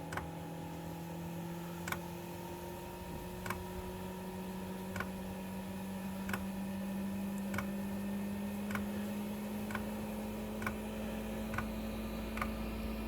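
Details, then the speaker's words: Planar 2 kW diesel heater, unused over 2 years, cold start: fan hum rising in pitch, fuel pump ticking about once a second and quickening as burner kicks in; brief puff of smoke, then burning cleanly. "There we go. A tiny little puff of smoke. Like for about 2 seconds. And then it's burning cleanly."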